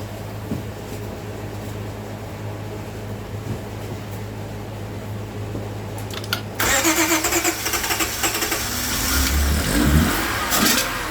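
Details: Towed-in crank-no-start car with water-contaminated fuel, run on an external supply of gas, acetone and fuel treatment cleaner: after a quiet stretch the engine catches near seven seconds and keeps running with uneven revving.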